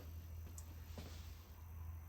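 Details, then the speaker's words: Tempest arcade cabinet CRT monitor, long unused, whose flyback had been squealing: now only a low steady hum with no high-pitched whistle; owner unsure whether dirt caused it; normal CRT monitor operation. "It sounds normal now. You can hear the squealing's gone."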